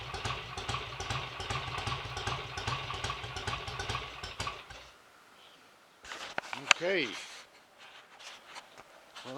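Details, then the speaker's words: BSA A65 Lightning twin at first start after a full rebuild with a replacement crank, for severe end float and timing-side bush wear, plus a new SRM oil pump: it runs with a fairly even, lively beat, promising. "not bad at all for a first attempt I like to just screw the tick over screws in a little bit and yes it looks very promising"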